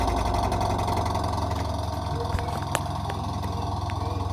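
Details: Automatic washing machine running: uneven knocking about three or four times a second over the motor drone; faulty gearbox.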